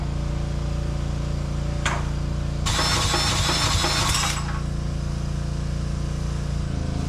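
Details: Briggs & Stratton 5000-watt generator that sat unused in a field for a long time, carb ultrasonically cleaned, started by hand with the pull start missing: it catches, smokes, and settles into a steady, even drone with a brief loud hiss; normal running.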